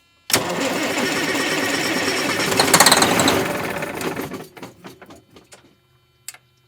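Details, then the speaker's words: Circa-2000 Freightliner diesel truck sitting six years: starter cranks about three and a half beats a second for roughly four seconds but never catches; fuel reaches the filter, owner suspects it isn't switching on, cause unconfirmed. "I don't know why it didn't start honestly got fuel in the fuel filter it just sounds like it didn't um you know switch on"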